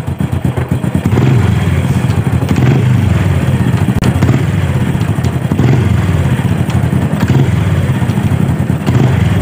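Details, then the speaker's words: Supra motorcycle engine, running and revved; faint tak-tak ticking as revs drop when the throttle is released; mechanic suspects the clutch area inside the right-side crankcase. "uh ya saat kita gas nih ya dia akan ada suara saat turun RPM saat kita turunkan gas di ada suara tak tak tak bisa teman-teman dengarkan nih"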